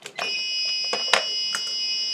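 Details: TrippLite APS1012SW inverter/charger running on AC only: a few clicks, then a continuous high-pitched alarm when unplugged from the wall, because it won't switch to UPS mode with the input-line breaker open.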